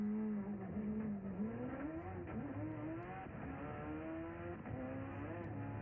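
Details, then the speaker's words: Drag-race Mitsubishi Evo 8 (Motec M1) on a hard pull in fourth gear: engine note climbs, then revs flare suddenly as the clutch blows loose under boost and the shift lights flash; throttle strategy used to control the slip. "time all right enough of that all right so you kind of heard it blow loose you saw the shift lights come on for a second there in fourth gear"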